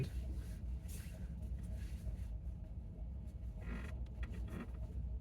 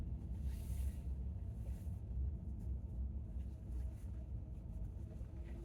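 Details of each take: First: 2019 Chevy Bolt gives short creaks and groans over low cabin rumble during slow right turns in a parking lot, about 50°F; does not happen on left turns. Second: 2019 Chevy Bolt circling a parking-lot island twice on slow left turns at 50°F: steady road rumble and faint motor hum, no creak at all. The creak occurs only on low-speed right turns, mostly as the wheel straightens.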